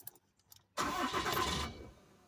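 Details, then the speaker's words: Ram 3500 diesel after fuel filter, oil and crankcase filter change, primed 8–10 times: cranks, catches under a second, then dies; air still in fuel system, not enough fuel to top of engine; more priming to bleed air. "oh still ain't got enough fuel to the top of the engine so even though I pumped it eight ten times probably two more times it'd probably be good to go"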